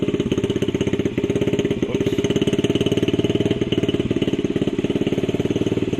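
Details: Honda CRF50 50cc single, choke on, kicked over after a part was clamped and tightened: fast uneven thumping idle that never settles; owner suspected a vacuum leak and says same issue remains, cause unconfirmed.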